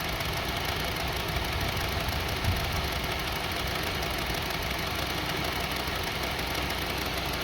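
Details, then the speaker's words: 2002 Honda CR-V 2.4 L, sensor plugged back in; idle turns rough with dull uneven knocking and shaking under a low drone, RPM had been going up and down; cause not yet found, spark plugs next to check. "See now, engine is shaking."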